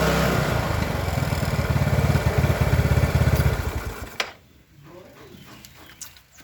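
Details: Old Yamaha Mio with new carburetor and size 38 pilot jet, after fixing stalling: small single buzzes evenly and pulls through throttle without stutter before shutting off; normal running and revving.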